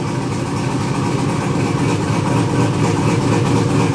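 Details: First fire-up after a Holley Terminator X Max ECU install and several wiring fixes, with some gauge settings still needing adjustment. The engine catches and settles into a steady, slightly uneven idle with a low rumble.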